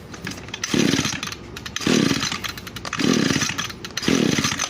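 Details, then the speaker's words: Echo SRM 225 brushcutter that quit after a few uses: four rasping recoil pulls about a second apart, never fires; no start from a scored cylinder. "se debería encender rapidito pero no enciende"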